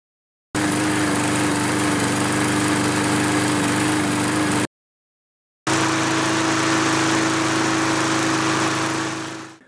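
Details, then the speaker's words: Kohler XT6.75 149 cc 6.75 hp engine on a self-propelled mower that shuts off after 20–25 minutes of running: steady drone that surges, sputters and stumbles unevenly. The cause was a chunk of rust in the carburetor main jet, fixed with a carb clean. "it was sputtering and which to me generally tells you that there's a something in the carb a piece of gunk built up in the main jet and sure enough there was"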